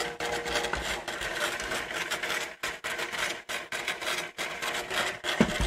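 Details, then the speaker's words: Panasonic NV-M7 camcorder during a teardown, fast-forwarding a moldy tape. Irregular scraping chatter with brief stops, suspected to be the mold-stuck tape peeling off the reel: tape mechanism noise during fast forward. "and I think that noise is it peeling itself off the Reel don't play moldy tapes just know you know"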